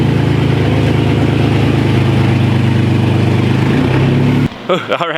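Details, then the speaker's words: Wrecked Porsche Cayman after new transmission installed: loud, deep, steady idle with no misses or knocks, roughness only from the open exhaust; normal healthy idle, engine sounds good. "the engine sounds good so that's that's amazing that's really good that's a good sign"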